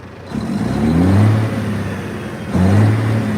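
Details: Detroit diesel engine in a hotshot truck, free revved: two clean rev blips rise smoothly and settle, no knocking or misfire, no smoke, only a little blow-by noted; healthy.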